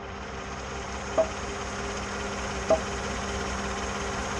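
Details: 2014 GMC, just after power steering motor replacement and dealer reprogramming: quiet idle with two sharp isolated pops about 1.5 s apart while turning when stopped or at low speed under load, not when moving; cause unknown.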